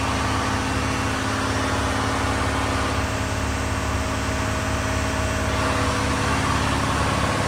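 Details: Diesel-driven fire sprinkler pump on its test run, isolation valve closed so it runs on test: a steady, low diesel rumble at constant speed with an even beat, no rattles or hunting; normal running.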